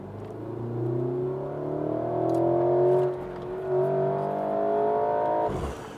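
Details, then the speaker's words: Porsche Macan, 2.0 L turbo, 252 hp, 37.7 kg·m torque, with the optional sport exhaust button and Sport mode on, accelerating. Pitch climbs, drops at an upshift and climbs again, clean with no rattles. The driver finds the exhaust note disappointing; normal sport exhaust. "저는 마칸 이 배기음은 별로 같아요"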